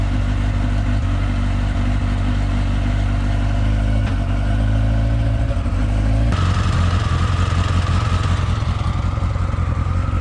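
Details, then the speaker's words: Yamaha XJR motorcycle restarted after coil and plug work, idling stable without choke; loud uneven idle with occasional loose clonks and a sudden beat change; owner suspects intermittent ignition misfire, possibly plug caps. "C'est pas franchement normal, ni les cloc-cloc qu'elle fait aussi. Raté dans l'allumage et que du coup elle rate un cycle de temps en temps, ça pourrait expliquer un peu les bruits."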